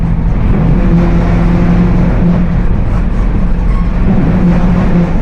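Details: Mercedes-Benz OF 1721 BlueTec 5 bus with Apache Vip IV body, moving: steady low drone with a faint tone over road rumble; rear axle differential roaring.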